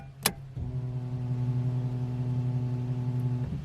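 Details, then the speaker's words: Nissan Skyline fuel pump after a fuel pump wiring upgrade: steady, even hum with a clean whine over quiet background, much different from the sound before the upgrade; normal, healthy fuel pump. "You guys may have heard at the start of the video what the fuel pump sounded like. Listen to this now."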